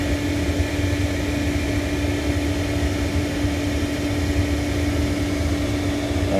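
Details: Hayward propane pool heater after gas valve replacement: even, steady burner roar with a constant low hum and no grinding or rattle. It had ground on start-up and then failed to fire from a faulty propane valve; now firing normally.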